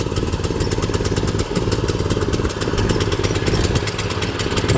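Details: John Deere JX90CB commercial lawnmower, aluminium deck, started on choke with speed lever on slow: small single-cylinder engine putting along evenly with steady rapid firing, no misses; engine fine with lots of power, though drive is stuck engaged, owner suspects cables.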